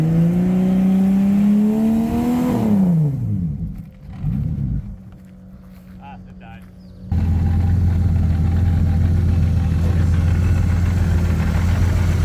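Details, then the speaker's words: Turbo 3800 V6 Cutlass Cruiser wagon, 5-speed, new build with tune not yet learned, first drive on its own power: clean revving, tone rising and falling smoothly, settling to even running; healthy engine. "So it did stall a little bit, but otherwise ran extremely well for the first time it's ever actually driven on its own power. Let's hear some real revs."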